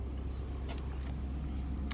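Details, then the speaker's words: 1998 Chevrolet 2500 pickup right after replacing the factory fuel pump with an aftermarket unit, first start while cold: steady even low rumble, no stumble or misfire, pumping fuel and running; normal idle. "It's pumping fuel. She's running, folks. Success."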